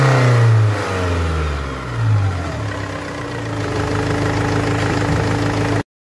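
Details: Above 2,500 rpm the engine revs hard with a loud, rough, uneven roar that swells under throttle, caused by exhaust gas escaping through the exhaust manifold gasket; exhaust manifold gasket leak.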